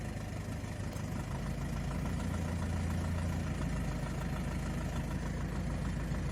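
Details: 2005 BMW 320i E90 N46 automatic, held on brake in gear (1st, 2nd, reverse) with light revving under low load: low drone with faint uneven knocking, worsening, possibly also when turning steering wheel; owner suspects rod knock, flexplate or camshaft bearings.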